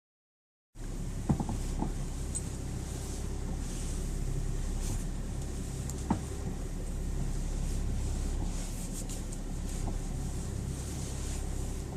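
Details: BMW E60: occasional sharp knocks from the steering column while turning the wheel, heard over a low idle rumble; the cause was low power steering fluid.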